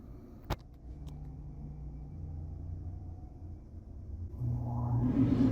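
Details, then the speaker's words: 2014 Tiffin Allegro 36LA RV rooftop air conditioner kicking on via new Micro Air EasyTouch RV thermostat set from 79°F inside to cool: relay click then hum swelling into steady fan rush; normal start. "It kicked on, guys. Can you hear it? So it's going to cool down to 75 degrees."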